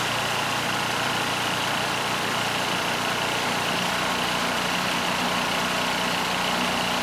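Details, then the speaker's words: Powermate SX Power Series 3250 W generator (PM0123250) started with choke on, steady drone sitting low and shifting slightly in pitch; it underspeeds because the governor spring was given too little tension, and the target is 61.5 Hz. "And assuming it starts, it's going to run slow. I didn't put enough spring tension on."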